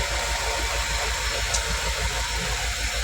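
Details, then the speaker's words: 2007 Ford Escape with a misfire, idling after diagnosis: steady low pulse with only a faint, even hum from the in-tank fuel pump, normal; the earlier excessive pump drone is gone. "Medyo normal yung ugong na mahina kasi may pump diyan sa loob eh. Pero wala na yung sobrang lakas."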